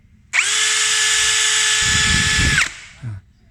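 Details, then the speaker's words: Yasuka YID-318CB cordless tool (Power Action BID20B lookalike) on a 20 V LXT-type battery at speed 2, about 2000 rpm: a steady high motor whine, then on trigger release a sharp, jolting stop with a thud, as the brake is too harsh. "Tapi terus terang dia punya ininya, waktu ngeremnya ini terlalu kencang."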